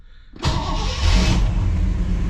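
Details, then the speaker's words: 1959 Chevy Bel Air 348 V8 with Rochester 4-Jet carb, stone cold, choke set, after the accelerator pump was reassembled; before this it needed 15–20 seconds of cranking. It catches almost instantly and settles into an even rumble: quick cold start. "all right that's a stone cold engine it's actually running pretty good so hopefully that takes care of those"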